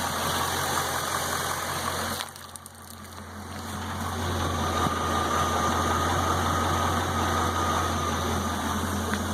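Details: LS1 V8 Camaro with 170,000 miles idling with a low hum and faint regular knock about three beats a second; cause suspected, not confirmed.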